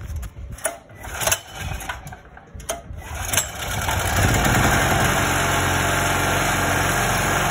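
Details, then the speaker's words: 2.8 kVA gasoline generator that refused to start, after valve lash adjustment, run with valve cover off: a few stumbling pulls, then catches and settles into a steady even buzzing run, no misfire or ticking. "as you can see the gen starts right now so that's how to set a valve for 2.5 kv generator"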